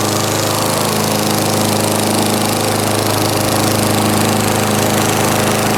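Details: 1989 Lawn-Boy S21ZPN push mower refitted with a 4.5 hp Tecumseh Eager 1 engine, from cold start, about half throttle: steady even single-cylinder putter, no misses, knocks or surging; runs smoothly and healthy.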